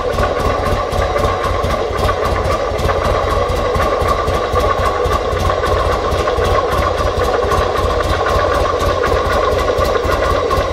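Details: 2005 Buell XB9SX motorcycle: steady fast ticking, several per second, over an even idle; engine noise of unknown cause.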